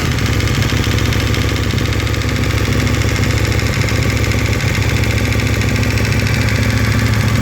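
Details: KTM 1290, cold engine at idle since about 10,000 km: loud steady idle with fairly regular metallic ticking, about three per second, over the engine beat; disappears once oil reaches 70 °C, cause unclear.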